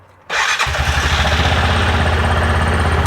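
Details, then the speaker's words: 2021 Axis 500 4x4 UTV, about 225 miles, complaint of grinding on deceleration (one-way bearing suspected), after work. Starts first try and settles into a steady, even idle with no knocks or grinding; sounds healthy. "Let's fire it up make sure everything sounds good sitting here at an idle"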